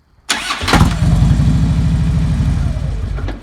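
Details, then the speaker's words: 2009 Harley-Davidson Road King: this start is clean, one quick crank into an even V-twin idle with no starter clunk. Other starts give an intermittent horrible clunk, not only when hot; the starter clutch or compensator is suspected. "Now that sounded pretty good."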